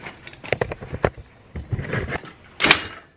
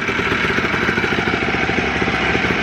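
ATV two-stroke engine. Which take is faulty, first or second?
first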